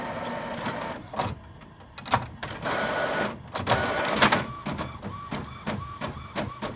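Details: Epson printer printing a test page from a laptop while the driver showed as unavailable, with a flashing light: repeating whir-and-clack of the print head sweeping about twice a second, feeding cleanly; the test page printed with good ink.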